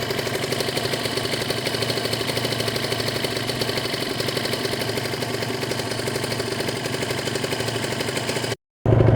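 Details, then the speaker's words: Kawasaki Ninja 150 RR two-stroke after warm-up: fast, even popping holding steady idle around 1000–1200 rpm without hunting up and down, showing temperature has risen; normal warm idle, engine ready to ride. "dan tanda-tanda motor sudah panas ke rpm nya stabil diatas 1000 itu sekitar 1206tg teratur ya sudah menaik itu temperatur yang sudah naik ya gan RPM sudah mulai Hai diatas 1000 atau 1200 tabel tidak naik turun"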